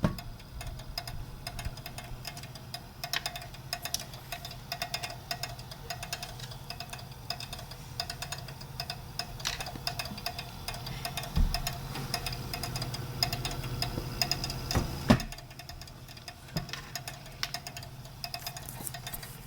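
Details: EVGA GTX 960 graphics card emitting rapid, irregular dry clicks over a low hum, even with fan stopped, lasting up to 8 hours; replacement card clicked too; failing power supply was the cause, fixed by installing a new 500W PSU.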